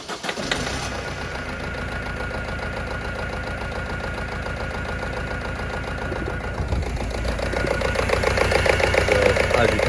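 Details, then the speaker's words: Ford Fiesta Mk6 1.4 diesel in limp mode, limited to 2,000 rpm, running a very lumpy, stumbling idle from a misfire on cylinder 4 caused by a faulty fuel injector. "what's happening is it's sort of missing and it's running very very lumpy i just drove it and it's in limp mode can only rev up to 2000 rpm"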